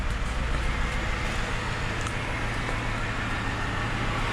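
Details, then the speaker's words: Totaled 2006 Mercedes-Benz E500 4matic V8 wagon with heavy front-end damage, coolant low, gas smell noted: steady, even idle under outside traffic noise, no knocking or tapping; healthy idle. "see it's running pretty good no knocks or anything running pretty good"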